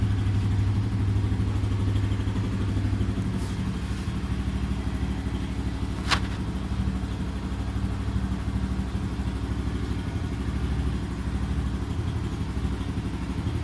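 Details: Yuki Gusto 50 C50 Chinese motorcycle after a mechanic's valve adjustment: small single putters unevenly about three beats a second with a loose clattery edge; valve clearances misadjusted by the service.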